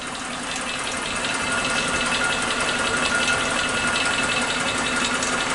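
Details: Suzuki Katana engine at idle with a light, quick ticking of about three per second over a steady idle. The owner first suspected too-wide valve clearance, but it still ticks after tightening the valves. He wonders whether it is normal for this engine.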